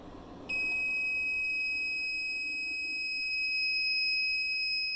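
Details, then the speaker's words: 1500 W inverter powered by four Panasonic 36V ES200G scooter battery packs, running a 5000 BTU window air conditioner: continuous shrill alarm tone as battery voltage drops under compressor load; inverter low-voltage alarm and shutoff. "Well, it can't take it. So it's definitely an inverter issue,"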